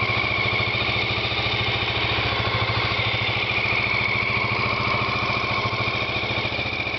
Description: XL600R engine first start after rebuild